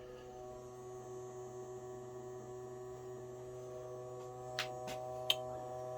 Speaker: will unhook the battery that's the bilge pump it'll turn off in a minute